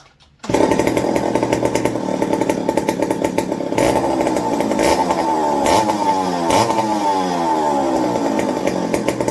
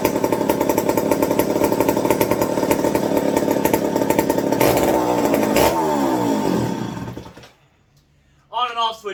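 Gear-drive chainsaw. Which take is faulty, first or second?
second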